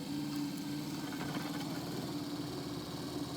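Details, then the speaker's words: Power adjustable pedal actuator motor from a 10th-gen Ford F150, bench-tested on jumper wires, driven from lowest brake-pedal position: steady, even electric hum at constant pitch, no grinding or catching; motor works. "So it works in that direction. Now I want to reverse it to make sure that it operates in the opposite direction."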